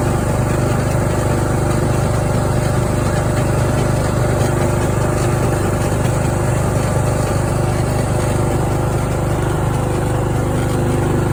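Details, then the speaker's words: Craftsman riding mower engine that fired but would not run, after a new fuel shutoff solenoid, fuel filter, spark plug and fuel treatment (owner suspected water in the fuel): steady, even drone at constant speed with no stumbles or surging; runs nicely. "oh listen to that engine per that sounds really nice"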